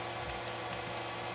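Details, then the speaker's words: Ender 3 3D printer: loud steady hiss from the power supply fan, hotend cooler and blower, plus stepper motor buzz and ticks during auto home; noisy but normal stock fan and stepper motor noise. "So first you have to think about this really loud noise of this fan, and first of all, these stepping motors are really noisy now."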